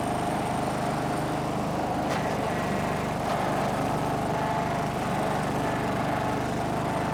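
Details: Snapper riding mower, garage-stored by the original owner, runs after the angled fuel tank that starved it of fuel was set back in place; its small single-cylinder engine runs at a steady, even pace with no misses or knocks, normal.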